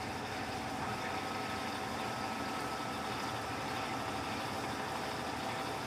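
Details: Electrolux LTC15 washer washing sneakers on stain-removal program: steady quiet whir with soft rush of water, no thumping or grinding; normal spin cycle, foam behind basket normal.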